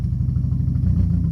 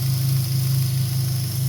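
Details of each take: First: 2003 Dodge Neon 2.0 with an SRT exhaust, new timing belt and rebuilt head; 190 psi on all cylinders, new plugs, no vacuum leak. A lumpy, uneven idle with stumbling pulses that smooths somewhat with gas but still runs rough. Misfire traced to a failed ignition coil. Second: 2003 Dodge Neon 2.0, after the dead MSD coil was replaced with the original coil. A low, steady idle with an even pulse and no stumbles or skips; all cylinders firing.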